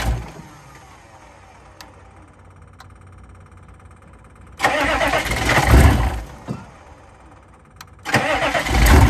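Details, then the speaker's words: 2000 Chevrolet C3500 4x4 turbo 6.5 L diesel: two cranking bursts, catches with deep clatter, rough but steady idle; sounds like muffler cut out, no coolant yet; normal start and idle. "We sort of nicknamed this one the America Diesel because of the stripes. But she runs."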